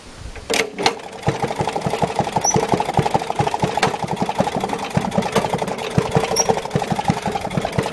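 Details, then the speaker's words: Maytag washing machine with Model 92 engine, exhaust run into a water bucket as a muffler, still smoking: soft, even putt-putt of about six beats a second that sounds barely running. Exhaust is deadened by the water, not a fault. "quiet, isn't it? Sounds like it's just barely running, doesn't it?"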